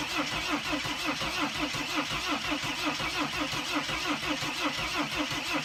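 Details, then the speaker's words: 2006 Mercedes Sprinter T1N van, after reattaching control module near fuel sensor: even starter chug about four beats a second for several seconds, no catch; cranks but won't start, almost seems to want to; cause not confirmed. "I mean it almost started up with like it almost sounded like it wanted to start working"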